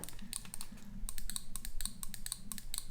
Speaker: You can hear them going, but honestly, I have to press them pretty stinking hard.